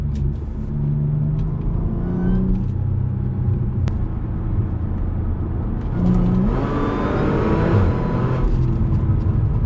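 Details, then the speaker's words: Supercharged Audi with new mufflers refitted, heard from the cabin under gentle acceleration: a deep, even exhaust rumble with a light rising supercharger whir and no booming drone at cruise; the drone problem is fixed. "Yeah, it feels completely different because it's not so loud. You can hear the other things. It actually makes the car feel a bit faster."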